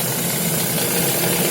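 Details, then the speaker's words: Lada Vesta with Valeo clutch, idling: busy metallic rattle and knocking, constant rather than tied to firing, appearing intermittently; clutch disc damper spring rattle, not engine. "Слышите? Вот. И стук, и треск идет. Очень неприятно."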